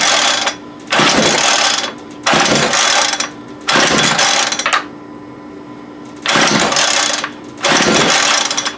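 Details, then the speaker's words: Homelite UT33650A 26cc gas string trimmer, low on fuel: five separate rope pulls, each a one-second rattling burst with no running; won't catch, owner suspects carburetor or air-fuel mixture issue. "so we definitely we have a carburetor issue"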